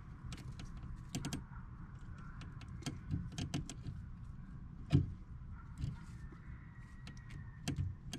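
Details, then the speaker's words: Rheem HVAC unit after a blown transformer was replaced, a fuse added and a low-voltage short from frayed wires fixed: scattered sharp contactor/relay clicks over a faint low hum, no motor yet, 24 volts present; normal relay clicking. "Clicking, that's good. Still got 24 volts on everything."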